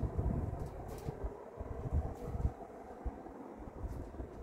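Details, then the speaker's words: Vintage circa-1980 Emerson Heat-Fan HF-136 36-inch industrial ceiling fan, K-63 stack motor, bearings slight kickback but decent, switched off to high: low soft rumble and hum building evenly, no grinding or bearing noise; normal motor spin-up. "So now let's turn it on to do 0 to high. Turn it on high. Thing got right up to speed."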